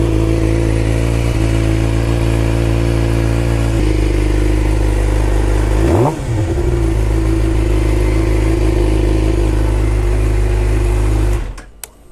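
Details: 2011 Suzuki GSX-R 600 with a new, fully charged battery, started by bridging the starter relay terminals with the clutch in: engine fires and runs steadily with a quick rev, starter healthy; the owner suspects corroded relay contacts.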